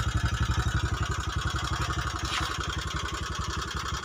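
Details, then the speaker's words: Honda Megapro New 150cc running while smoking heavily and burning oil, before opening the top end: lumpy, uneven idle with a coarse, thrashy beat and clatter over the firing; worn piston and valve guides. "ini Pokoknya Bahaya kalau ngebul seperti itu biasanya oli cepat habis"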